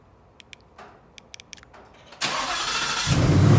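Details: New 2020 Ford Mustang GT V8, warm start: a few faint clicks, then a loud rushing whoosh as it cranks and catches into a deep rumble; owner finds the warm-start sound weird and asks if it is normal; cause unknown.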